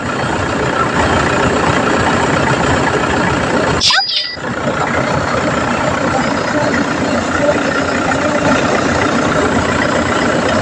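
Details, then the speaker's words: Car idling with the air conditioning on after replacing the AC compressor magnetic clutch assembly; steady, even idle with no squeal, rattle or grinding, the earlier noise is gone. "Na mga boss, so, wala nang ingay."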